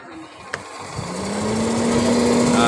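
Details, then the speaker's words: Rewound capacitor-less snail-shell blower motor on first test after reassembly: a click, then a smooth hum rising in pitch as it spins up and settles, air flowing, motor running freely and drawing about 0.05 A. "sudah keluar anginnya di sini. Sudah suara hidup dengan nah, sudah keluar anginnya Begono, dan ampernya menunjukkan 0,05 setengah ampere."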